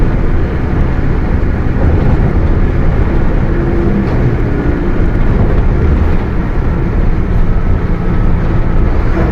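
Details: Mercedes-Benz OF 1721 BlueTec 5 bus chassis, Caio Apache Vip IV body: steady deep drone under the diesel as the bus rolls along; rear differential growling.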